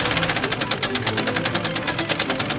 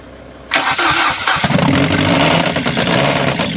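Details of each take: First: Engine running after its timing belt snapped on first test drive: fast even sharp metallic clatter about ten beats a second with little low rumble; damaged engine. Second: 1996 Fiat Bravo engine swapped into a 2004 Fiat Stilo, first start with no coolant, oil in, sketchy battery, engine cold: starter spins briefly, engine catches cleanly into a smooth steady idle without knocks, much quieter than the original engine. Normal start and idle.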